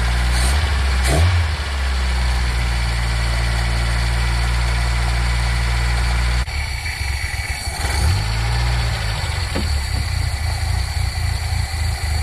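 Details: Nissan K10 Micra after an auto choke adjustment (screws loosened, housing rotated to spring-load the choke flap): cold start catches and holds a raised, steady idle with a couple of blips, showing the choke is working while warming.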